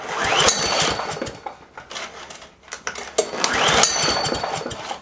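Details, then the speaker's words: Weed Eater push mower from a free pile, known-good spark plug fitted, brake released: two rattling recoil pulls crank but never catch. No spark; owner suspects a shorted or disconnected wire or a bad coil. "not seeing any spark so we're gonna pull the cover off top of loader and we're gonna have a look inside"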